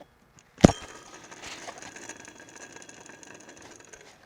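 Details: Acura TSX race car, serpentine belt removed, tensioner pulley spun by hand: sharp click then a dry, gritty whirr fading as it slows; power steering pump smooth, alternator slight squeak; tensioner pulley bearing suspected worn.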